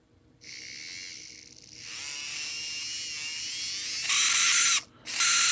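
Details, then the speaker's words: Arbour Models kit locomotive, Buehler motor tested with front truck removed: high, buzzy whine that wavers and rasps as it spins up; motor is dry and needs oil before retrying. "needs some oil let's try that again"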